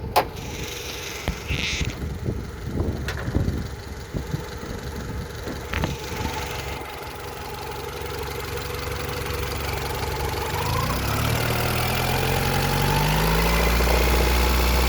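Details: 1991 Honda Accord F22A1 at idle after start, with a 1995 Prelude F22A1 head swapped on and valve lash in spec, has a light regular knock about four per second from the top near cylinders 3–4; owner suspects piston slap or rod bearing.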